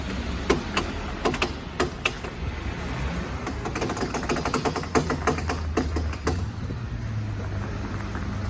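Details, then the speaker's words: Lifted Jeep JK reversing in four-wheel drive, window down, after a trail incident; sharp clicks about every half second over low engine rumble, absent in two-wheel drive: front driveshaft CV joint clicking, broken CV boot. "so here it is the the cv joint is a problem"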